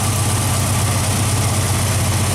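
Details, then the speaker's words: Straight-six petrol engine idling after switching back from a Pertronix unit to points ignition: a rapid, even tapping tick from an exhaust manifold leak, with the center cylinder blown out; tightening was tried, and the gasket may be blown. "we've got a pretty big vacuum knee I mean a exhaust leak over here somewhere you can hear it tapping her which cylinder it is"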